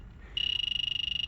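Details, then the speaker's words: Walk-in freezer low on refrigerant: a leak detector near the Schrader valve core goes from quiet to fast, even, high-pitched beeping, pinpointing a refrigerant leak at the valve core. "do you hear this sound this sound means we have a leak"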